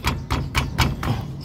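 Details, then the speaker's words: Astra, Vectra or Zafira brake caliper knocked by hand: sharp, hollow metal clacks about four a second. Suspected cause is a worn internal guide pin or caliper play, or pads that began knocking after switching pad brand. "às vezes acontece desse pino aqui dentro que segura essa parte móvel ele gastar e começa a bater"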